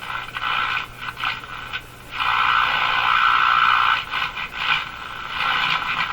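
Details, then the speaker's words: Mohawk Model 1240 five-tube radio at first power-up checkout, very poor performance and quiet at full volume: harsh crackling hiss with garbled bursts, no clear station; picking up interference, cause not yet found. "oh she's pretty quiet I'm not a good operating order at all those interferences that all sound similar sounds like a garbly thing to me"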